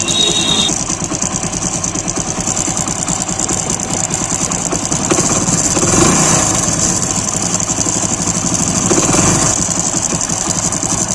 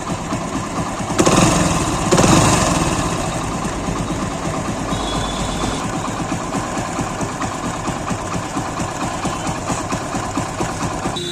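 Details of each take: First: Motorcycle with timing chain recently replaced, cold engine at idle: light, fast metallic chatter over the beat, quieter once warm; timing chain tensioner roller rattle. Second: Single-cylinder idle after complete refit with the defective roller and its nut replaced; the timing-chain-like whine heard after a recent chain job is gone, leaving a steady even putter with no clatter. The worn, marked roller was the cause.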